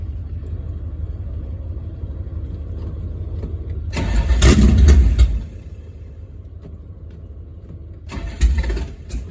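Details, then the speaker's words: Ex-Motor Trend Suburban; the race-car battery disconnect switch had been off, and the owner suspects it may be out of gas. Starter spins in steady rapid bursts of about three turns a second but never catches; cranks without starting. "It might have been out of gas yesterday."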